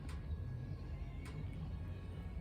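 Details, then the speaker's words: Newly built electric fence with energizer plugged in: sharp snapping pops about every 1.2 seconds over a low background rumble, showing the fencer is pulsing normally. "can you hear it popping that tells us the fencer is working"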